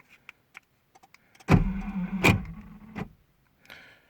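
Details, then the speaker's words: Car central locking fault, lock module sometimes not detecting; the two front door lock motors, possibly non-original, sometimes make a buzzing noise: clicks then a strained buzzing motor whir of about 1.5 seconds; cause suspected, not confirmed. "iki motor ön kapıları motoru orjinal Roma parpar motorlardan mı yapıyor bilmiyorum bir kişi bu iki motorda zırıltılı ses yapıyor bazen"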